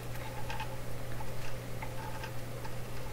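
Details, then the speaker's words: Canadian General Electric K60 radio: turning the wire-wound Bradlee tone control gives irregular light clicks over a steady low mains hum as the slider bumps over the windings; normal for this control. "sounds like it's wire-wound and kind of picture the slider bumping over wires as a fiat feels that way too"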